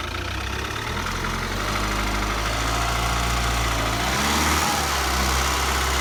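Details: Ford engine idling with a light, uneven rattle about four times a second that continues through a short rev; rattle, source not pinned down.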